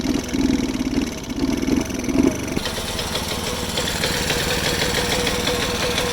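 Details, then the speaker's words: Alfa Delta moped two-stroke that won't hold idle, smokes and won't gain speed: uneven, stumbling buzz with lumpy bursts and rough running; misfire from worn cylinder and piston, piece broken off, found on teardown. "Мопед Альфа дельта давиться, дохне, не хоче набирати скористь."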